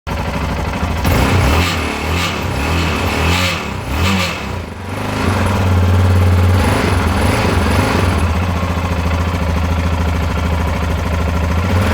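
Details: 2010 Yamaha XT660Z Tenere, 32k miles, single-cylinder, revving: gritty metallic grinding/rattle from what sounds like the engine top end over the exhaust thump; cause suspected, not confirmed.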